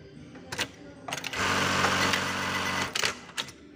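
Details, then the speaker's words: JACK 781E sewing machine with automatic servo motor, after error 07 and presser foot staying raised were cleared, runs a short even burst of fast stitching with steady whirr and trimmer/foot clicks; machine running normally. "Syukurlah, sekarang sudah bisa berjalan."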